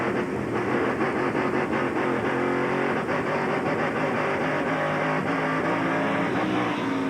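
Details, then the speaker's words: V8 race truck, 1996 Lowe's 250, in-car at speed: rough uneven exhaust beat stumbling like a cylinder dropping out; commentators suspect ignition misfire, occasionally hitting on eight; not confirmed. "yeah we can hear the truck misfiring it sounds like ignition and almost sounds like an ignition like a misfire or something even I can hear that so it must be pretty bad"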